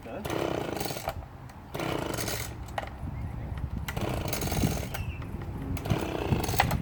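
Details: Two-stroke leaf blower that had grown hard to start and finally wouldn't run, after cleaning and reassembly: fires and revs in repeated bursts, picking up cleanly each time without missing.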